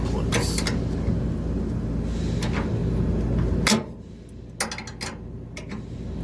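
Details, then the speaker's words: Trane Voyager rooftop HVAC unit (460 V) after idler pulley replacement and belt retension: steady low hum, racket and belt squeal gone, maybe slight belt noise remaining; noise originally mistaken for motor failure. "this sounds a whole lot better now i'm not making all that racket maybe a little bit of bell noise"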